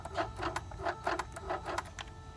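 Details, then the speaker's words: Mercedes E-gas throttle actuator self-calibrating and activated via the gas pedal: quick bursts of small-motor whirr with gear clicks as the gears move freely; normal throttle actuator operation, though the customer's mailed module, a wrong 400E/E420 unit, was found faulty. "You hear electrical, mechanical gears moving. If I do too many times, it might go into limp because you have to press on the gas pedal to do this. But you hear it clearly that it's moving. Gears are moving."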